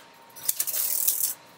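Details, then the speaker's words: Telephone exchange line finder exercise test, line finders repeatedly picking up the line in position 19, the highest in the bank: quick metallic rattle of relay stepping for under a second in a quiet room; normal line finder stepping. "what this test is doing is continuously pretending to pick up phone lines in and the line it's picking up is the one that is in position number 19 which is the highest position in this tank"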